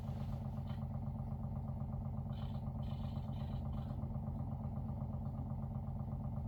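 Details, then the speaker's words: WaterFirst Dr.Water Y countertop 5-stage reverse osmosis purifier, brand new, first-time setup, filtering water with bubbles: even low hum with regular gentle throb about three pulses a second, no knocks or rattles; normal running. "Sure, sounds like it's working. Yeah, you can see it's working. See these bubbles coming up there? That's a normal part of the process."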